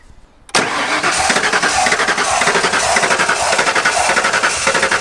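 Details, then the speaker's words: Abandoned 1993 Ford F150 cranking after sitting 14 years: uneven, ragged sputtering that never settles into a run. Seems like only one healthy cylinder firing; owner suspects sticky injectors and checks ignition with brake clean. "Damn. Got one healthy cylinder in there and that's it."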